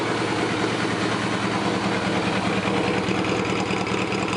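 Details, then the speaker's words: Suzuki GS850 four-cylinder at idle around 1000 rpm after new slide needles were shimmed and the carbs synchronized: an even, steady beat with crisp throttle and hardly any lifter noise. A normal idle. "sounds really good I hardly hear any kind of lifter noise or anything out of the engine the throttle response is crisp"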